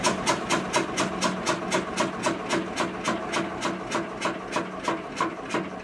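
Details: Witte single-cylinder diesel generator's first start in 45 years: even, steady knocks about four a second as it fires and runs on its own; smoke noted.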